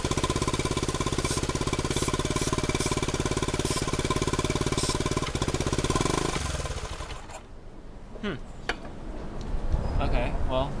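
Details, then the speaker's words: 1971 Honda CT90 after rebuild, running only on choke: the small single runs with a fast steady chatter around three and a half beats a second, then dies down; odd noise of unclear cause, starting fluid shows no air leak, dirty carb jets suspected. "Huh. That doesn't sound good at all. Huh. I don't know what that is."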